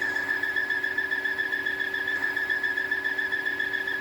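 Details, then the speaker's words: Volvo 2.0 Turbo engine idling: steady high whistling squeal that sounds like a belt but is a vacuum leak from a PCV diaphragm; may also cause hanging or climbing revs; fixed by replacing the PCV. "we're going to be doing some work on a Volvo that has a squealing engine it sounds like it's from belt but it's actually not it's a vacuum leak from a diaphragm"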